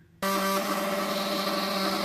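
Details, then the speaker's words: 1945 Ford GPW Jeep radiator, pressure test after soldering neck leak: steady buzzing hum as radiator cap vents excess air; normal relief, no leak found with soapy water. "you can hear the radiator cap humming away there and it's blowing the excess air out of the vent"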